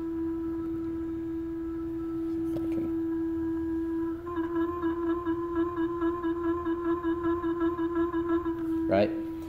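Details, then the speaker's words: WorkBee CNC router Y-axis Teknic ClearPath servo with stiffness set to about 19: steady high-pitched hum while holding, turning into a pulsing warble; servo whine from over-stiff tuning, cured by setting tuning to lowest quietness. "so the motors I guess it's trying to work a little harder to hold position but it's it's also making some noise"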